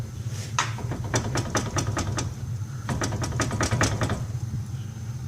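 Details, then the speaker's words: 2004 Ford Taurus, both tie rod ends bad: quick bursts of sharp metallic clunks, several per second, as the wheel is rocked by hand; a worn tie rod end with play, awaiting replacement. "actually actually both sides are bad so like when I moved to one side you can hear the other side making a loud noise over there"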